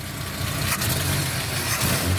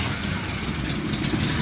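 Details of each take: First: 1971 Chevy C10 250 inline six with HEI ignition, Clifford intake and 6-into-2 exhaust, after idle screw turned up a quarter turn; smooth steady idle with slight lift in revs, even firing, no knocks or misses; normal idle. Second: 1971 Chevy C10 250 inline six with HEI ignition, manual, clutch in, fires right up on the key without pumping; steady even but slowish beat, idle slightly low (target about 700–800 rpm), about to be turned up; low idle.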